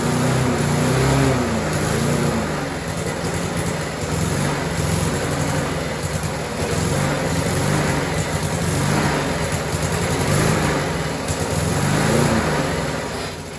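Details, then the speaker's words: Curbside-dumped Rover four-stroke mower with a new muffler, primed, throttle at mid position: single-cylinder engine hunting up and down in speed every few seconds. Owner suspects the governor spring or a general carburetor problem. "God so as you can see the engine really does want to run however clearly there's an issue with the surging now I'm going to say that's probably a governor spring problem or a general carburetor problem"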